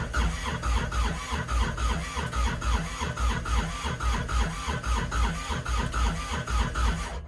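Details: Kubota RTV900 diesel at -8°F with unpurged summer fuel: steady starter cranking at a bit over one compression pulse a second, never firing. Cranks, no start.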